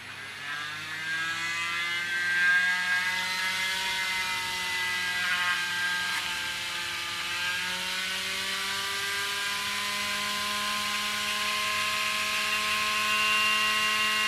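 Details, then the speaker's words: Small coreless motor in a Spitfire pizza-tray glider, converted to supercapacitor power, run while the battery-pack charger charges the supercapacitor; batteries slightly old, limiting top speed: high thin whine climbing steadily in pitch as the motor speeds up; normal spin-up. "You can hear the speed of the engine increasing as the supercapacitor is getting fully charged."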